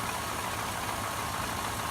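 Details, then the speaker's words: Donor truck V8 likely going into a 1983 S10 LS swap, started cold after sitting in the yard: settles into a smooth even idle with a soft steady hum and no knocks or ticks; normal cold idle. "Alright, so it's cold, and I brought the donor truck into the yard here a while back, and every time I start it, just beautiful."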